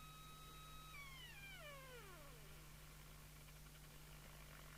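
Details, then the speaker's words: Jesan KT2002 CB radio receiver alignment with 27.79125 MHz signal generator input and 10.695 MHz mixer: a clear whistling heterodyne tone slides down in pitch into hiss as the receive mixer crystal is trimmed to null the beat. "and with the 10.695 from here actually we can hear it better if i hold that see whether we can null the musical note here we go"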